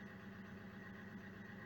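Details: Opel Insignia 2.0 CDTI diesel after replacing a seized engine and a damaged crankshaft pulse sensor, running after a day and a half of failed start attempts: steady, even low diesel idle, smooth unbroken beat, no knocks or misses.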